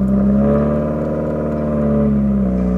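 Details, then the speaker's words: Subaru WRX idling at about 2000 rpm with a Greddy Type S blow-off valve: revs climb smoothly with no turbo whoosh or valve release, boost gauge stays at zero; no boost, owner suspects loose blow-off valve or intercooler piping. "Like, no boost is made, you can't hear the intake, the blow-off valve doesn't do anything. I don't know if I can do it while idling, but I can try. It's very weird because it makes like no power."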